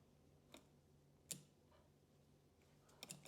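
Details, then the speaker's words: Suzuki A/C compressor clutch bench-tested off the car with a power supply and ground; one sharp metallic click as voltage is applied, then light ticks as the solenoid clutch pulls in and everything turns: a normal clutch engagement. "I guess you can hear it and uh you can see right now when it's connected everything turns I'm going to release now it's only the flywheel so when I apply a voltage into this solenoid clots everything basically turns"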